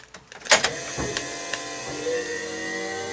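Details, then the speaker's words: 1978 Jeep CJ7 electric conversion, key turned on at the dash; a few clicks, then a small electric motor hums up and holds a steady, even note before switching off: brake vacuum pump running normally. "it's the vacuum pump you hear coming on vacuum pump goes off"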